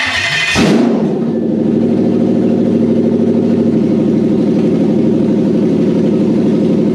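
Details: Toyota 3UZ-FE 4.3 V8 running on a test setup with an air intake fitted, after an ECU reflash and immobilizer delete. It cranks, catches in under a second and settles into a steady, even low idle with no misses or knocks: normal idle.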